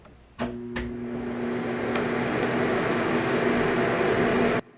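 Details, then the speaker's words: Nesco FD-80A square dehydrator after replacing the thermal cutoff fuse (SF139E, 142°C), final heat test at about 68°F room temperature; click at switch-on, then steady even fan whoosh and low hum; fan and heater running normally. "Okay, so the final test will be to make sure the unit is heating up properly. Right now, room temperature is about 68 degrees Fahrenheit. When I plug the unit in, you can hear it come"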